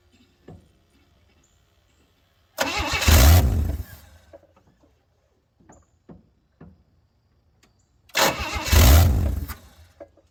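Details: 1964 Chevy Bel Air, long sitting, first start: two cranking bursts catch briefly into a loud, deep, raw rumble that dies away; loud because the exhaust pipe ends short.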